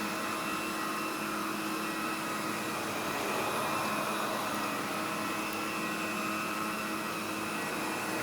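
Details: Mid-1990s Electrolux Epic 6500 SR canister vacuum power nozzle: steady airflow roar with a thin whistle that changes pitch as the nozzle is pushed down and the wheels pop up. A normal quirk, not a fault.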